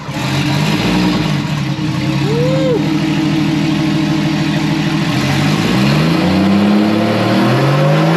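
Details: First start this year of a newly wired RB20DET straight-six in a Datsun 240Z: it catches and settles, then climbs and falls through a couple of clean revs with a smooth, even note and no knocks.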